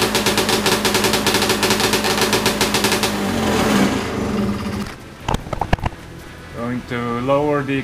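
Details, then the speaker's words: Big-bore stroker 277 two-stroke snowmobile engine on a garage test run, after a PTO-side seal fix: quick, steady tick well above normal idle, then blips and falls away; idle speed too high. "a little bit see if that slows down the idle here we go again"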